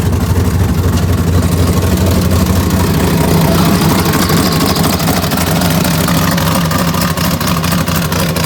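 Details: Turbocharged 6.0 LS swap with big cam and 76/78 turbo, after replacing injector connections, no fuel leaks: loud choppy idle with uneven lope around two beats per second, steady and clean; normal big-cam idle.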